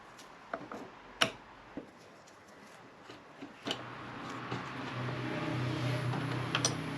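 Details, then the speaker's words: MG Midget with rebuilt twin SU carbs, ignition on before start: irregular light ticking then steady low hum as fuel filter fills; electric fuel pump priming normally. "so that's the fuel pump you can hear pumping away in the background and it's already filled that fuel filter up"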